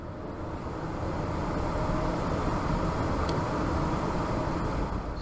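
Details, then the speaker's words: ECM 3.0 variable-speed blower motor in furnace squirrel cage, tested after swapping common and power leads: even steady rush of air, smooth low hum, no ticking, scraping or surging; blower running normally. "that blower motor was just running now this is off"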